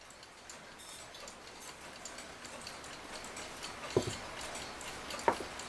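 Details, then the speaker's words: Forestville brass-colored alarm clock after removing the rust-affected movement, oiling and cleaning; it had been wound but would not tick. Faint, light, unhurried ticks with no scraping or stalling, running fine for several days. "otherwise this thing seems to be ticking away just fine it's been a few days now and I guess I'm happy with"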